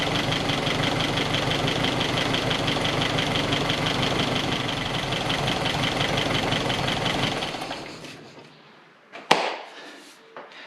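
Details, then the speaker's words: 1961 Triumph TR3A at idle after fitting a replacement Pertronix distributor with integrated electronic ignition, timing spot on at four degrees; even, steady idle with a regular beat, no ticks or stumbles, then shut off; running properly. "well that was lucky it was it was spot on four degrees"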